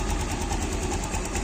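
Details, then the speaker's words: Yamaha motorcycle engine after replacing the shaft bearing and fitting an aftermarket (KW) manual cam chain tensioner in place of the failing automatic one, mic near engine: steady, even low putter, no ticking or rattle, very smooth; normal idle. "saya dekatin nih ke area mesin gak bisa nah suara mesinnya itu sangat-sangat halus ya"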